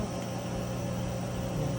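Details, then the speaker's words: GE washer on the spin cycle after repair: smooth, steady low hum with no grinding or rumble; the earlier scraping noise was gone, and it was not the tub bearing. "Pues como ven, hemos eliminado ese ruido tan feo que termina esta lavadora."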